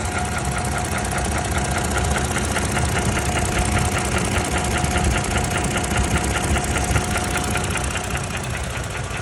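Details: 2017 Toyota Tacoma 2GR-FKS engine: loose knocking ticks two to three per second over a steady engine drone; abnormal knock, cause unknown.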